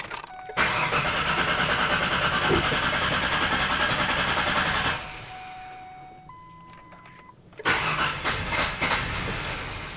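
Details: 2005 Ford Ranger Edge with swapped engine, unstarted for four years, battery fitted: starter churns about three beats a second, pauses, cranks again and nearly catches; long crank before it eventually starts.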